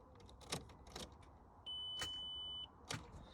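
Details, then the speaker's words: Mk4 Golf GTI, ignition on and out of gear: turning the key gives only a few sharp single clicks under a steady dash chime and never cranks; owner suspects the starter motor. "put the ignition on take out a gear ignition's on everything comes up fine yeah beeps at me cuz it always does and then you turn the key and it just clicks so I do that"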